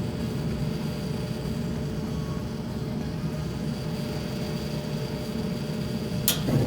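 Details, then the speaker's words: Gas dryer after thermal fuse bypass and sensors reconnected: even drum and blower rumble, then one sharp click as the igniter fires; the burner lights normally. "we're gonna go ahead and start the dryer come down here you should see the igniter start up and then the flame then there's the igniter"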